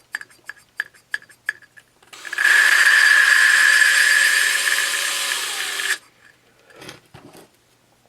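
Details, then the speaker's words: 1974 Honda XL70 cylinder head, drill-lapping a replacement for a bent valve; steady drill whir with even fine gritty hiss, really smooth with no friction; smooth valve lapping. "you can kind of hear when it gets really smooth sounding I mean there's like no friction"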